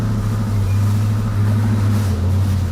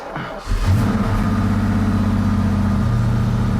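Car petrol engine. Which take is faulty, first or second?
first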